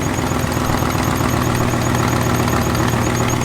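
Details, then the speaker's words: Turbo 5.0 V8 Ford Ranger on E85, running on factory programming: steady idle with a light, quick ticking that follows engine speed. Exhaust leak tick; a vacuum leak is also noted. "Little exhaust leak too. Definitely an exhaust leak."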